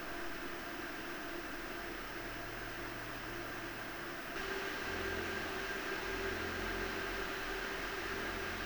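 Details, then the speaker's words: PowerColor Radeon RX 7900 GRE Fighter graphics card fan noise test: steady airy whoosh and faint metallic hum, louder midway as fans speed up; airflow quiet, metallic sound from the cooling fan, considered normal. "*El sonido metálico que escuchas es el sonido generado por el ventilador de refrigeración."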